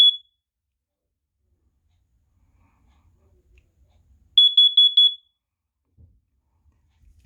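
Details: FireX smoke/carbon monoxide detector over 12 years old and due for replacement, given its last test: one loud beep, then a quick group of four piercing beeps.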